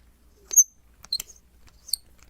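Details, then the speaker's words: FiFine Ampligame USB microphone: three short, high, chirpy squeaks as the brass thread turns in the plastic mount when attaching, caused by dry threads; fix suggested is Super Lube synthetic grease. "now one thing i want to make mention since this is brass in here and this is plastic every now and then when you attach this"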